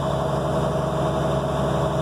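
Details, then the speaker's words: Truck 27523 with transmission-PTO-driven drop-off blower also driving HydraChem hydraulic pump, at maximum blower speed (truck run above the 1,000 rpm HydraChem limit); loud, steady hum with constant mid-pitched whine, no knocks or surging; normal operation. "what the screener looked like and that's the maxim it'll run never run the Hydra cam at that speed"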